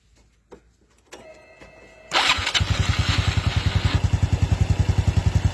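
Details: Honda Wave 110i motorcycle started while checking the stator coil output with a meter on AC volts (spec 0.77 V or more, this normal bike reads over 3 V): brief starter whirr, clean catch, even steady idle thump about three times a second; normal start.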